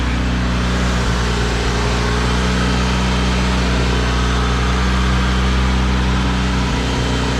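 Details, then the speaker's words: High-mileage 1992 Honda Accord CB9 wagon, fully reassembled and now running on all four cylinders, coolant topped up, heat cycle before an oil drain; smooth, steady low idle with an even beat and no misfire stumble. Normal idle. "I gotta give it a heat cycle so just listen to that baby purr now lights are on or anything"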